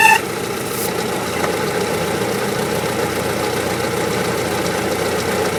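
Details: 1944 Willys MB at idle after a few drops of oil on the squealing clutch throwout bearing: steady, even idle with no squeal or chirp from the bellhousing; normal idle.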